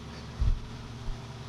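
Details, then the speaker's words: 1932 Ford roadster just started for the first time: low, even rumble with steady beat and brief thump, no knocks or misses; distributor guessed at about 10 degrees advance, carburetor screws 1.5 turns, running good. "Anyways, it's running good. I really didn't have to do a whole lot to it."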